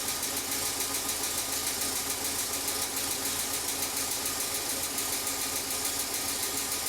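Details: Car engine that sits most of the time, at idle: light, quick ticking about three a second, tied to engine speed; dirty, sticky hydraulic lifter tapping, with Rislone engine treatment being poured in while running.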